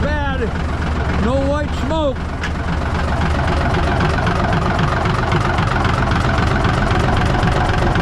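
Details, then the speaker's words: 1965 Kenworth W900 with Cummins diesel, revived after 3–4 years not starting, new starter fitted, overhead and injector rack re-run after a botched earlier rack setting: steady, even, knock-free idle with no misses; normal diesel idle. "okay looks like we got a come engine that runs the way it's supposed to we just ran the rack on it"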